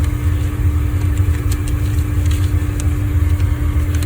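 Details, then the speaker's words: Hayward Universal H-Series H350 (350k BTU) natural-gas pool heater after display board and bezel replacement: ignition, steady low burner roar with constant hum, no popping or surging; heat light on, water at 76°F, running normally. "So now we have ignition. You can hear that roar in the background. The green heat light is on."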